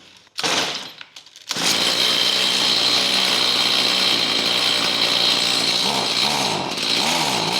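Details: Stihl HS45 hedge trimmer two-stroke after fitting an aftermarket HIPA carburetor kit, since the rebuild of the old carburetor failed. At about 90°F it starts without choke or purge into a steady, crisp buzz with clean throttle response, running normally.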